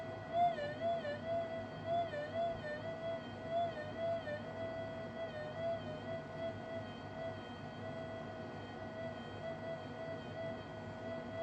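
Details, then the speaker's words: Minelab SD2000 metal detector, 25-year-old electronics, deliberately untuned and held side-on to the coil: a wavering mid-pitch tone warbles and slowly settles as the trim is turned, the earth-field signal the owner then cancels out. "So imagine swinging your detector and you hear this. All right, that's the earth field. So I can cancel that out."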